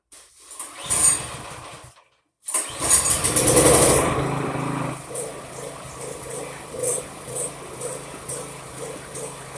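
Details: PowerMate tiller that wouldn't start, after removing old gas, fresh gas and cleaning trash from carburetor bowl, cranked with drill and 15/16 socket clockwise, switch on: whirring cranks, fires, settles into light slightly lumpy idle.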